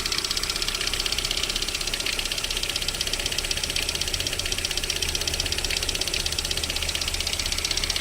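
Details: VAZ 21127 engine at idle with a crisp, even, metallic ticking knock of about four per second, heard while warming up; it disappears once the engine reaches about 40 degrees, cause unknown.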